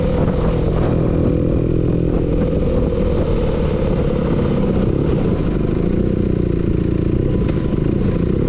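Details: Steady fast clatter of knocks riding on the engine note throughout; clear knocking from inside the engine, cause unknown.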